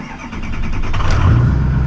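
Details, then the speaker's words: Diesel truck, cold start, fresh oil and fuel filters and Rotella T6 synthetic oil: short crank, then catches and builds to a strong, even low rumble. Normal diesel cold start. "cold natured but that's alright it had the high idle it should kick in here shortly I think it might have doddle for a minute or so but the engine on these trucks are a little loud"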